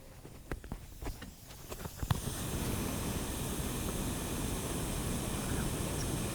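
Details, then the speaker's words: Twincharged Subaru WRX, boost leak test before dyno, mic moved near the supercharger-fed twin air-to-water intercoolers: a few light taps, then a steady level rushing hiss; a good-size leak, source not yet found, possibly a gasket along the intercoolers. "that yeah it's definitely a good size leak"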